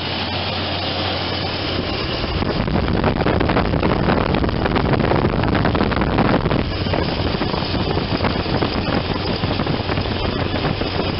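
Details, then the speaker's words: 1993 Chevy S10 with the non-Vortec 4.3 TBI V6 idling before the alternator, tensioner and idler replacement: faint rough grinding and an occasional squeak from a worn alternator bearing; the tensioner pulley also wobbles. "and also if you listen closely you can hear a little grinding in the alternator and an occasional squeak."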